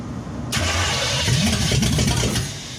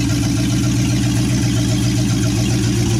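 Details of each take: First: 1963 Chevy C10 355ci small block (350 bored .030 over), sat for years, new battery fitted: starter turns briskly with brief catches but never settles into idle. The dead mechanical fuel pump isn't filling the carb bowls and was later replaced. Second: 1963 Chevy C10 with 355ci small-block V8 (350 bored .030 over), Turbo 350, reportedly low miles, second start after years sitting: loud, even low rumble from open manifolds at steady idle, no misses or stumbles; temp gauge not working, normal idle.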